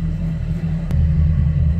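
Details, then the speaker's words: Mercury outboard on a new Boston Whaler 280 with sport exhaust on: deep, steady, throaty rumble at even idle; sport exhaust works fine but is missing some pieces, and the joystick fault is separate. "So let's fire it up one more time and have a listen to the sport exhaust. Definitely throatier sounding for"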